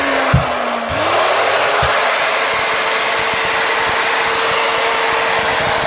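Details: Repaired grinder test run after gluing the fan on its shaft: quick spin-up to a steady even high whine with smooth airy rush, no rubbing or stumbling; field not burnt; normal running.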